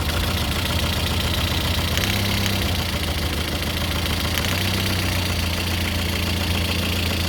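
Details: Lada Kalina 8-valve engine (11183) at idle: steady idle with an uneven tapping knock about three or four a second; source unclear, owner asks what is knocking.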